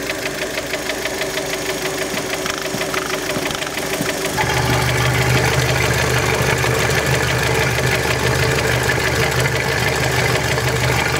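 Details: Fiat Panda engine warmed up, blipping the throttle: sharp regular knocking about three times a second over idle, persisting as revs rise; internal engine knock, cause not pinned down.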